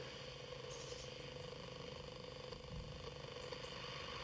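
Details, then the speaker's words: 1966 Philips EE08 kit two-transistor AM radio, newly built, tested via garden-tap earth and small amplifier: constant low hum with thin high whistles drifting as the dial moves, no station; owner unsure if parasitic oscillation or household interference. "Let's do a bit of tuning. Well, there's a lot of hum as you might be able to hear and whistling."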